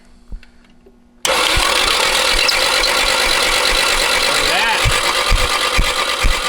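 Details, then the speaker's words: Nissan 240SX S13 with SR20DET swap, abandoned for years, cranking with valve cover off: loud busy clatter on an uneven starter beat about two per second, no firing; sounds terrible, cause unclear, possibly stuck rings. "motor sounds terrible with the valve cover up i don't know maybe i'm not used to it"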